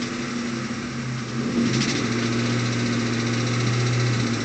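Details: 2001 Ford Mustang GT V8, recorded inside the car: muffled drone with a faint dull knock above 1000 rpm, no power loss or rough idle; timing chain and tensioner replacement didn't help; turned out to be rod knock, fixed with a new short block.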